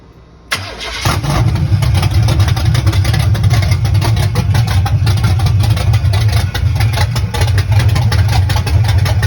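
Engine cranks briefly, catches at once and settles into a steady, even low rumble at idle with no knocks or misses.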